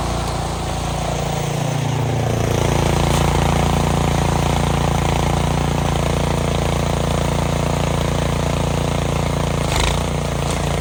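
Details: Cub Cadet 26-inch three-stage snowblower, about 8 years old, with a new belt, blowing snow: steady single-cylinder drone under load with the auger churning; no slipping squeal or knock; runs normally.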